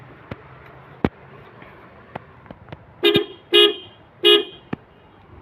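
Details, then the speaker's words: Toyota Kijang horn after the corroded horn-to-battery wire was replaced, with the old horn temporarily fitted and its ground not yet tightened: three short, loud, clear toots with a bright steady pitch between faint clicks; the horn works normally. "ya. Cukup lumayan bagus dan alhamdulillah."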